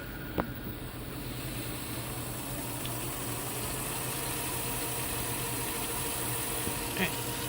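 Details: Emerson-branded Funai VCR from 2003, still working after 16 years: a low, even whir from the tape mechanism in fast forward, steady with no catches or squeals, which is normal.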